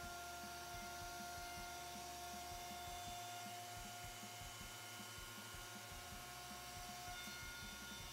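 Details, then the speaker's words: Thickness planer after repair with plates replaced and bolts Loctited, switched on. Quiet steady motor hum with light rhythmic cutter sound, no rattles or knocking; sounds like it normally does, normal running. "it does sound a lot better sounds like it normally does when i turn it on"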